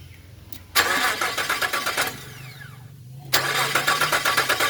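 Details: 2001 Nissan Frontier 3.3 V6: two spells of even starter cranking, about four beats a second, with no firing or catch; engine cranks but won't start.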